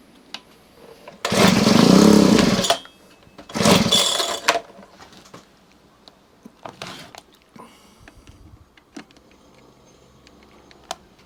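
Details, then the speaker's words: Honda HHH25 two-stroke hedge trimmer with a newly fitted replacement carburetor, idle not yet adjusted: two short revving bursts, then it dies instead of settling. It will not idle because the idle speed is set too low. "tick over work first off. That's what it's got to have, because it's not idling."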